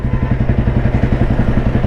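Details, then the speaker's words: 1993 Royal Enfield Bullet with crank weight, top gear accelerating toward 40 km/h: even, deep single-cylinder thumping at roughly ten beats a second pulling cleanly under load, no knock or hesitation; engine healthy. "Top ഗിയറിലാണ് വണ്ടി ഉള്ളത് ഇന്ന് gradually speed എടുത്ത് കാണിച്ചു തരാം വണ്ടി യാതൊരു ലാഗും ഇല്ല യാതൊരു ഇടിപ്പ് എൻജിൻ യാതൊരു ഇടിപ്പും ഇല്ലാതെ വണ്ടി സ്പീഡ് എടുക്കുന്ന കണ്ടു എന്ന് വിചാരിക്കുന്നു"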